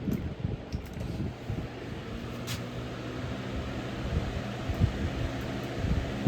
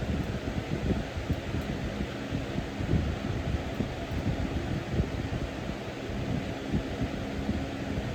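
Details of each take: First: Early 2000s Holmes HABF-25 box fan after restoration and bent motor mounts pushed back, on medium: steady hum with an irregular low buzzing rattle behind the airflow; motor rattling from vibration, not bearings, cause unknown. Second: Early-2000s Holmes box fan HABF-25 after restoration, grill scraping fixed by pushing motor mounts back: steady even rush of air with low hum, no scraping or ticking on high; normal running.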